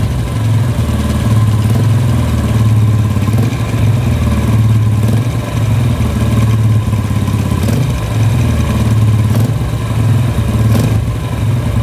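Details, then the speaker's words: Yamaha Vega R New motorcycle at idle, noisy engine when revved slightly: fast steady metallic klak-klak clacking over low thrum; mechanic suspects the clutch area, where it sounds loudest, not confirmed. "oke ya jadi bunyinya itu klak klak klak klak klak klak klak klak klak laki-laki itu temen-temen apa penyebabnya dan masalahnya dimana"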